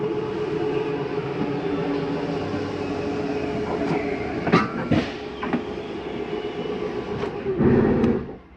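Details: 2021 Columbus 378MBC RV, living room slide-out being brought in; steady even motor drone with constant low hum, no grinding or binding, slide retracting normally.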